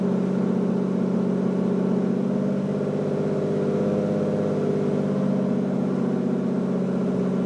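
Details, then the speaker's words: Lamborghini Diablo VT V12 garage find, first start after fuel pump problem found, clutch in, neutral; kicked right over and settles into a smooth, full-bodied even drone with no misses or clatter; normal idle. "holy moly that kicked right over that sounds awesome"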